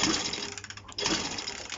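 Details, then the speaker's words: Honda CB125 RS during restoration, after engine stopped: quick light even cranking rattle with no firing pulses, spinning too freely, something coming out of carburetor intake; owner believes compression lost from a bent valve. "this is coming out of my carburetor's intake after the bike stopped and i believe that it's lost compression"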